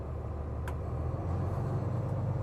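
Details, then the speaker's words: 2023 Newmar Super Star 4061 on Freightliner M2 106 chassis, 360 hp L9 Cummins diesel, Allison six-speed, fast idle engaged via cruise control: RPM jumps a couple hundred; smooth, even rumble, no knocks or misses; normal. "You can see the RPMs jump up a couple hundred. It'll just help heat it up faster, help fill your airbags if you've dumped your airbags."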